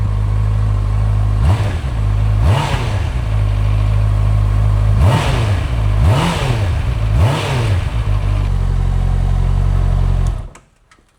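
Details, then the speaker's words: 2022 Honda CBR650R, 3,000 on the clock, sat over a year, first start after refitting ECU, fuel tank and battery: fires and settles into a steady idle, five crisp rev blips returning cleanly; sounds healthy. "first thing done. We got a running motorcycle."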